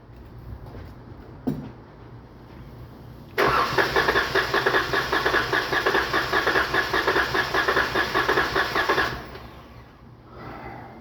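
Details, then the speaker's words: 2019 Dodge Charger 3.6, P0302 misfire, power loss: starter cranks about six seconds with rhythmic compression pulses during test; cylinder two reads about 90 versus 150-160 spec, low compression, suspected valve problem. "tiene 90 de compresión al arrancar esa fuerza se va a disminuir por lo tanto el cilindro número dos tiene Baja compresión y ese es el problema del por el Por qué tiembla"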